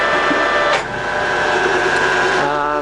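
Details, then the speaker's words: Colchester Mascot 1600 centre lathe, 2000 mm, at 48 RPM. Even gear hum, a quick slowdown as the mechanical neutral brake grabs, then a steady hum again in reverse: normal lathe running, forward, neutral and back. "I've got it in a 48 RPM, so pretty low. This machine's got a mechanical neutral brake, so when it's in neutral, you'll notice it slows down quickly."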